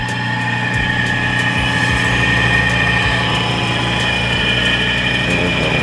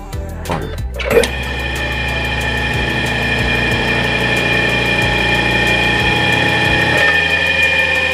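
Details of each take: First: Electric motor before repair, no capacitor fitted: steady electrical hum with no run-up, stalled until nudged by hand. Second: Hard-starting electric motor after repair (new capacitor fitted): now self-starts with a short clunk and settles into a steady, even hum at full speed. Normal.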